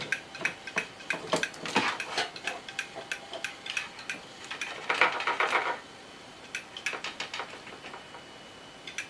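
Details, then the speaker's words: Old IDE hard drive on a VIA EPIR mini-ITX board, laid flat to no avail: sharp light clicks about three a second in uneven bursts, almost no motor hum, a click-of-death loop; owner concludes the drive is broken. "nope it's not happy bunny ticking like a total beast"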